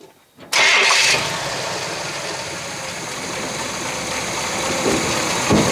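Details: Abandoned 1966 Chevy Biscayne with numbers-matching 396 big block, after new throttle linkage and first run drawing fuel from the gas tank: starter cranks briefly, catches with a loud roar, then settles into a steady, even idle.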